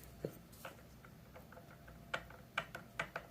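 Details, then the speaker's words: Removed driveshaft CV end flexed by hand: sharp uneven metallic clicks; CV joint worn, almost failed, possibly causing a road howl. "it ain't supposed to sound like that so it was on its way out it wasn't garbage yet but it was almost"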